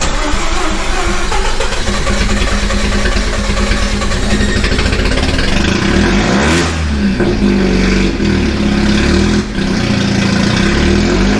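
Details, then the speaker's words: Big-turbo Mazda FC RX-7 rotary, about 95% complete and still needing tuning, restarted hot after sitting five minutes at temperature, throttle pinned then eased: long rough cranking that slowly catches and clears into running; flooded hot start, starts fine cold. "i mean that the car has to unflood itself before it starts hot but it does start hot which is good and it runs great"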